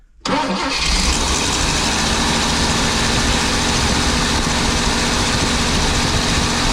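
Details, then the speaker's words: 23-ft Birchaven motorhome, Quadrajet carburetor, first run after 12 years: float bowl filled by squirt bottle, engine catches on first crank and runs a steady, slightly uneven idle off the bowl, then stalls; owner suspects fuel not being pulled up from the pump, possibly a fuel-line routing problem. "Okay, it sounded pretty good. Possibility that it's just not pulling the fuel up to it."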